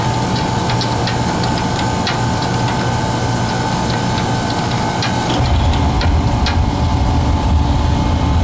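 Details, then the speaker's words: Oil burner after replacing dirty pump filter, tank filter, nozzle and power venter motor: steady, even burner roar with smooth low hum; pump no longer whines or struggles to pull oil, healthy. "Can you hear the pump line is gone now? It's not struggling to pull oil."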